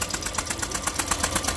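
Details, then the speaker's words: 2015 Honda Vario 125 injection scooter that died suddenly while parked: after the starter relay (the power switch) is refitted, a quick, even starter chatter spins the engine normally. The fault was a detached side-stand socket connector. "tuh kalau switchnya bagus arusnya terhubung selain ini nyala starter juga bisa nyala"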